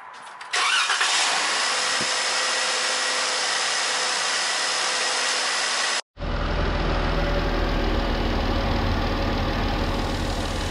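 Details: 2014 Jeep Wrangler JKU 3.6 after replacing a failing alternator with bearing noise and fitting new batteries: after a hissy stretch, steady, even idle with no squeal or whine; charging at about 14 volts, normal.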